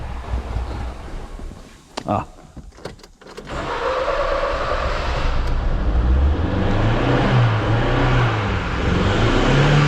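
A heavy, uneven low engine note with a lumpy, wavering beat after some clatter; the engine is running rough, cause not yet known.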